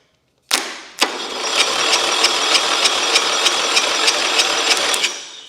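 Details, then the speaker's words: Engine, sitting outside with water on it, cranked via jumper box to starter with fuel squirted in: steady starter cranking about three beats per second, never catching; no spark, coil fouled. "It's not starting. It's not starting. Well, it's got water on it cuz it been sitting outside."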